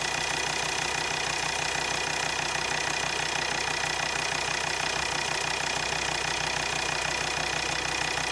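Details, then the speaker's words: Volvo XC60 D5 diesel idling: sharp even ticking about three times a second over the idle; failing injectors, resistance measured near 0.3 ohms against a minimum around 0.4–0.5, later replaced. "had a look at the resistance on those they're getting to the 0.3 ohms range that's that's not looking good to be honest"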